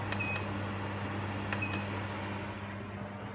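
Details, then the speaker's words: Portable air conditioner switched on via a plugged-in Milwaukee battery charger: a couple of short beeps, then only a soft steady fan hum as the compressor cycles off; normal fan running with compressor off. "see the compressor goes off but the fan is still working"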